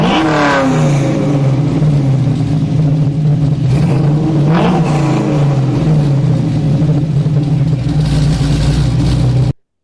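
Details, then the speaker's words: Camaro V8 with 3-inch true dual exhaust, X-pipe, Flowmaster 40s and newly added 16-inch resonators: a deep, even rumble climbing smoothly through the revs, with no drone, rasp or ticking leak. It is a normal, healthy exhaust. "I'm actually really happy with how the car sounds this is what it sounds like"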